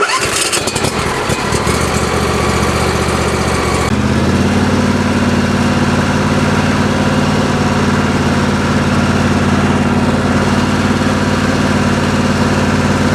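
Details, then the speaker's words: Craftsman LT1000 mower refitted with a 27 HP Briggs & Stratton V-twin and electric fuel pump: brief crank, fires in about four seconds, settles to an even, steady run with no misfire or knock. "The lawnmower now runs like a champ, starts right up, and so at this point I have a 27 horsepower V-twin engine in this Craftsman lawnmower, and it goes just fine."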